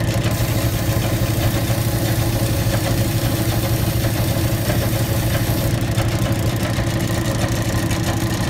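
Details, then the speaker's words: Old Bennett 541 gas pump motor, running after many years of barn storage: steady, even electric hum with a soft mechanical churn of about two beats a second. The motor runs smoothly and normally. "just to fire one of these off and here at run after all those years of sitting is a thrill for me it's like pulling an old tractor or an old car out of the barn and engine is seized up but you free it up and you get it running"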